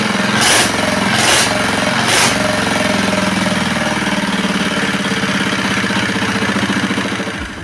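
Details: R180 single-cylinder diesel after crankshaft replacement and repair, oil pressure indicator now normal: a few sharp bangs at start, then even steady thumping idle; runs smoothly.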